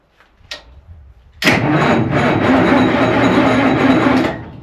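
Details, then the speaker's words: 60-year-old wash-plant diesel engine, long idle, with engine oil below low: the starter spins it at a steady, even beat for about three seconds with no firing. It turns over but gets no fuel and shows no oil pressure; the kill switch setup is unknown. "It was running really well in terms of like running turning over. It's just not getting fuel."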